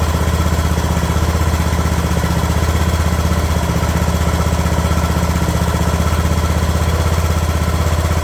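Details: Craftsman LT2000 riding mower, single-cylinder engine at low idle after the throttle linkage was straightened: even, steady beat about four per second, no hunting or surging; normal idle.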